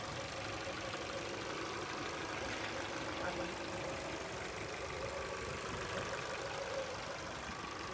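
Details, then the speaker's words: Petrol idle of an 05-plate Ford Focus 1.6 LX (later called a Corsa), heard with the bonnet up: a steady, even hum under some hiss, with no nasty rattles or knocks and no oily smells. A healthy-sounding normal idle. "I think no nasty rattles or knots or anything like that. No oily smells."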